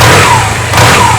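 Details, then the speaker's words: Honda Silver Wing 600 scooter with new belt, after clutch teardown, a fastener torqued to 40 and driven pulley nut to 76 ft-lb, emergency brake on: rev blip settles to a clean even drone, no squeal on engagement; likely was clutch pads. "now it's not squealing so it must have been the clutch pads"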